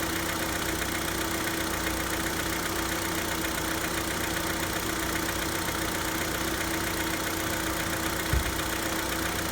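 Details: Hyundai Santa Fe G4KE engine at cold idle: light uneven ticking knock roughly once per second; knocking when cold, cause not confirmed.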